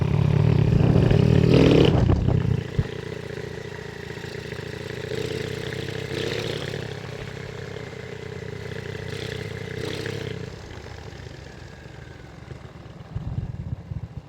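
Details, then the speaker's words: RS125 carb-type motorcycle on a road test after the primary clutch's loose one-way bearing was fixed; revs up, then rolls off and coasts smoothly with no clatter on deceleration or gear changes; the noise is gone. "So pabalik na tayo ng bahay. Sir ito namideas hindi namaningay ah na-rootest namin dito ba siya umingay"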